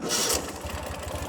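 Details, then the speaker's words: 2014 Ural Patrol 2WD sidecar motorcycle, cold winter start, not warmed up: short starter whir, catches on one turn, settles into an even steady low twin thump. Healthy quick start. "Fires right up, literally one turn of the starter. Once the starter engages there, one turn and it fires right up. Idles super nice."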